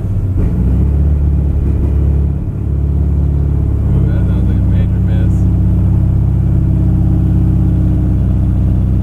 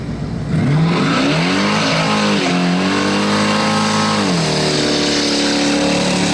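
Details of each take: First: 1978 Chevy C10, 383 crate V8 of about 430–450 hp with a fuel injection install and a history of fouled plugs: deep, uneven rumble that sags and hunts at idle and needs throttle; AFR reads 20 against a 13 target, running lean. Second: 1978 Chevy C10 pickup with a 383 crate V8 of about 430–450 hp and a self-tuning fuel injection system, after the MAP seal was trimmed: it pulls hard at wide-open throttle with a clean, steady roar and tyre squeal in a burnout, no stumble.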